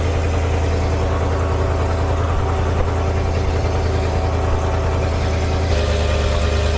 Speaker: But this truck is running awesome. Sounds good. I still think the carb needs some work.